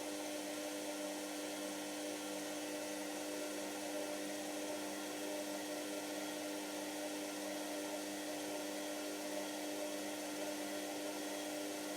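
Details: Washer, now working: soft steady hum with even tones, no knocks or scraping; normal running.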